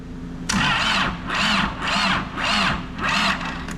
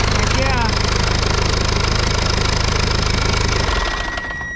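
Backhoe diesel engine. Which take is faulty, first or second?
first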